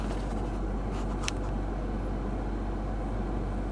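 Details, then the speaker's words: Lexus 200h cabin: a steady, deep, low-frequency grumbling hum that vibrates the car, heard from under the dash with the camera against the steering wheel. It goes silent when the AC blower is switched off: a noisy blower motor. "a low-frequency vibration or hum so I guess the best way to find out whether that is the problem in yours is to actually just turn the blower off and then we go silent"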